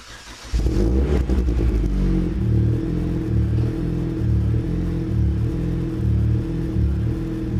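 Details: 2007 Chevrolet Cobalt SS with ZZP catted downpipe and GMPP catback, stored since last fall, battery charged: quick crank, catches at once, settles into a deep steady even exhaust burble; normal start and idle.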